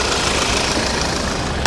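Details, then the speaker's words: Audi at steady idle: fast, even sewing-machine clatter like a diesel; just normal direct-injection fuel system tick, supposed to sound like this. "sounds like a a diesel sewing machine is what it sounds like that's just direct injection it's supposed to sound like this"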